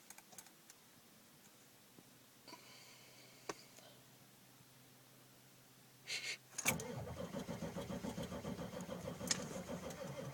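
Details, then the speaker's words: 1995 Ford F-350 dually, 7.3L Powerstroke with Banks Power Pac, rebuilt E4OD, cold, after repeated glow plug cycles: slow uneven starter churn about two turns a second, never catches; hard cold start, cause not confirmed. "I think another shot of twice and it'll go. I can feel it. Come on, baby. Come on. No."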